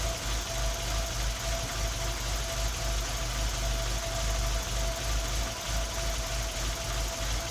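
Idle is lumpy and uneven, with irregular stumbles about three times a second breaking the beat, so the engine is misfiring.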